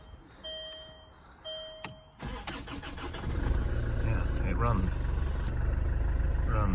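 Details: 2009 Land Rover Freelander 2 XS, on an axle stand after crankshaft position sensor replacement, gives dash chimes then brief cranking. It catches cleanly into an even, steady idle, runs good and is fixed. Before the repair it was jerking, cutting out and not restarting, with reduced engine performance.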